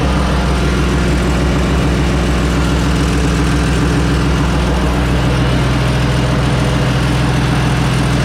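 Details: 1970 Ford Mustang Mach 1 V8, freshly reassembled with new cam, first fire-up for cam break-in, oil pressure about halfway: loud, deep, lumpy running with a dull regular knock underneath; rod knock.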